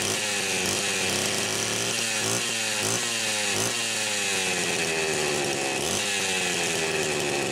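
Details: Homelite Super XL Automatic chainsaw, one check valve replaced with new O-ring (another still suspect): revs up cleanly, high buzzy tone rising and falling on the throttle, smooth and crisp; runs good, automatic oiler works.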